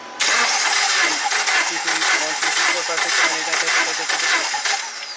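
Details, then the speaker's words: 2009 Subaru Forester crank no-start with no codes, timing belt, plugs, wires, coil and ECM already replaced: cranking with rapid, uneven spark snaps, coil 3-4 firing twice per compression (four sparks instead of two) and coil 1-2 not firing; faulty engine computer. "So, you should only see two sparks per compression event. We're seeing four. Nuts."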